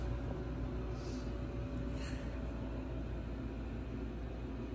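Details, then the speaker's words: Newly installed HeatStar 50,000 BTU gas garage heater started for the first time, with a vibration isolator fitted: the burner lights and the blower gives a steady low rumble with no rattles or surging; a normal startup. "i started to fire up there guys the burner is going on now pretty exciting i will see once i get to see this video how how loud the uh the machine is so it's fairly quiet guys i don't see any problem here"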